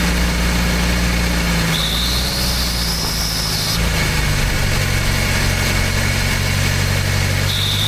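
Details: Old "800" truck petrol engine, recently revived after the distributor was moved one tooth toward #1: deep, steady idle with an even low beat and no knocks or misses. Normal idle.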